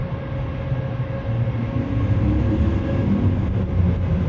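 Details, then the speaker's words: Suzuki DR650 single after mechanic fix for vibration and noise, fresh oil change, air filter snorkel removed for high altitude in Quito: deep, steady, grunty thumping with even beat and no misses; normal idle, clearly improved. "that's uh that's a hell of a lot better. You can just hear it hear the sound as well. Grunty for sure."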